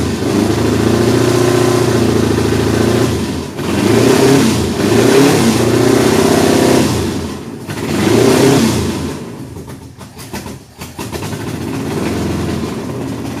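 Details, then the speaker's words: Datsun 280Z with a freshly swapped LS V8, run at a slightly raised RPM to clean the plugs. It lopes and stumbles unevenly as it revs and settles, missing beats from dead cylinders. Headers were checked by hand; multiple cylinder misfire. "We just grabbed each of the headers to see if we were firing on all cylinders because it sounds so terrible."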